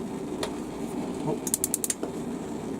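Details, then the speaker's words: Gas hob, knob turned and held to spark the igniter: a quick run of five or six sharp, evenly spaced ticks in a quiet room; normal ignition sparking. "okay then all is is just a simple turn hold an igniter so one turn two"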